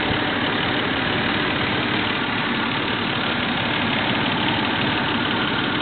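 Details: Toyota 3VZ-E V6 after rebuild, about 15 miles on the engine: steady, even idle with a smooth hum and no ticking or knocking; healthy normal idle.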